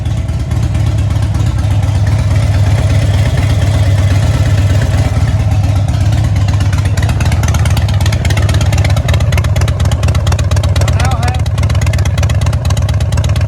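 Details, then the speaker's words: 2006 Harley-Davidson Dyna Wide Glide running after a coil swap, no codes: loud V-twin lope that stumbles and tries to cut out as throttle opens, intermittent misfire, better than before; front cylinder about 30–40° hotter than rear. "And I can hear it missing every now and then, but it's better. When I give it throttle, you hear it trying to cut out."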